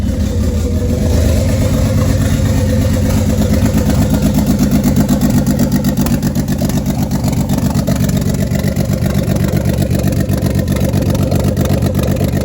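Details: Turbo 24v VR6, first start after about a year without running, turbo coolant and drain lines newly fitted: steady smooth six-cylinder idle rising and falling with throttle blips, healthy.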